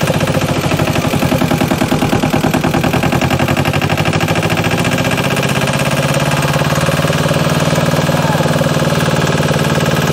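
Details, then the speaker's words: JLG 40H diesel man-lift, first start right after bleeding the fuel system, before the planned oil, oil-filter and fuel-filter service: steady, even diesel clatter at idle with no misses or knocks. Normal idle. "look at that like the moment that we got the fuel system to bleed this thing just takes right off that's awesome I was not planning on it actually starting yet"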